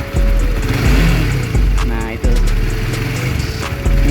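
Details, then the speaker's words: 2021 Honda CBR150R idling with a fine, light, not coarse rattle from the top end. It is a loose cam chain from the automatic cam chain tensioner. "Namun, suara mesinnya sudah cukup berisik. Nah, ini dia suaranya. Suaranya, seperti yang mungkin disebut teman-teman, seperti suara berderak,"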